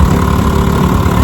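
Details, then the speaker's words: Restored 1957 Johnson 10 hp QD18 outboard with rebuilt carburetor and magneto, on a lake test run after about 10 minutes of running: steady low putter with an even, unbroken beat, no misses; idles cleanly, starts right up, runs great. "And I mean, she runs great. I've been running her about 10 minutes now."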